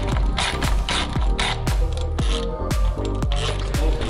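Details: Supercharged Lamborghini, aftermarket supercharger pulley spun by hand: gritty, ratcheting clack about twice a second with no steady hum, linked to a grinding noise like a shredding mixer; worn pulley bearing, old versus new pulley compared.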